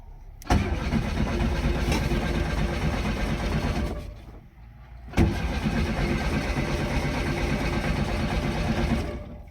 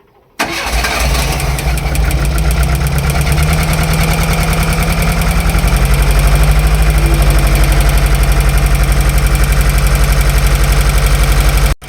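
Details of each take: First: VW Golf Mk1 1.4 carburettor, abandoned car being revived, no battery warning light: two long cranking bursts with steady rhythmic starter churning, engine never catches; no spark. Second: Wrecked Golf Mk1 project car's first start; engine cranks briefly, catches and settles into a steady, slightly high idle with an even beat; sounds fine though it smokes a bit and a misfire is later noted.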